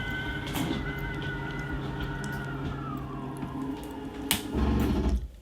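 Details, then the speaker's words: 2022 Alta 2850KRL travel trailer slide-out: motor whine drops as the room nears full travel, then a sharp click and clatter; normal end-of-travel stop, release the switch or the system is overridden and needs manual adjustment. "hear the clicking noise you let off that means stop if you continue you're gonna override the system and you're gonna have to manually move it"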